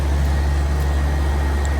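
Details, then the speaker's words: 2016 Lennox 2.5-ton air-conditioner condenser at a hotel, apparently with a Copeland scroll compressor: deep, smooth, constant hum with a faint fan hiss and no knocks, rattles or squeals. Normal running. "There's a couple more Lennox units running. Here's this one. Sounds like it has Copeland."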